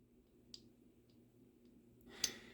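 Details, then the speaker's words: Nitro RC big-block engine (Dynamite 21, believed Force-based), crank pulled, crank pin measuring 4.95 mm: light sharp clicks about every half second as the 5 mm rod is rocked on the pin; very sloppy, badly worn big-end. "So that's a very worn out rod, but it's still a 5mm rod."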